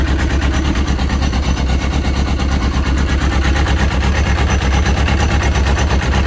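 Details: Yamaha RX1 1000cc four-stroke snowmobile, sat six years, after ultrasonic carb cleaning and coolant added, idling to warm up: strong even low throb with regular beat, no misses or knocks, healthy.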